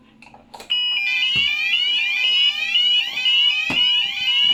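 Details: Fike Twinplex Pro fire alarm panel during a system test with a Fike smoke detector: piercing electronic alarm tone starts abruptly and sounds continuously with a warbling sweep. Alarm triggered.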